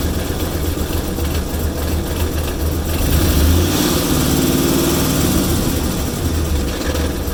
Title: Oil Pressure Reading at Rough Idle